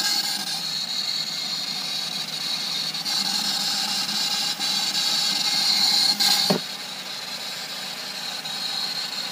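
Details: Nissan Pulsar at idle, thin constant high-pitched whistle from the engine bay, barely changing; source unknown, owner trying to find it; high-pitched whine at idle.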